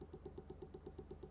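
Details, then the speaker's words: Faint, even tick about eight times a second over a soft hum from an electronic device's cooling fan; clicking suspected from a worn fan bearing, other side looks undamaged, fan swap being tried. "Do you hear that? To me, it sounds like a fan bearing. Unless he's damaged on the other side, which looks fine. It's a clicking sort of sound."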